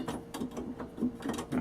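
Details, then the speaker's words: Old thrift-store Magnus Jewel electric organ before repair: light plastic clicks and clacks in irregular bursts as keys are pressed, louder than the organ's hum; dry, noisy key mechanism clatter, owner plans to lubricate the keys. "don't know if you can hear that. They're almost louder than the organ itself."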